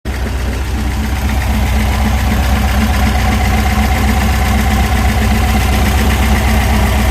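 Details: VW Super Beetle with a 1679cc dual-port engine: steady idle with a rapid, even tapping about four times a second under the engine note. Owner suspects rod knock; not confirmed.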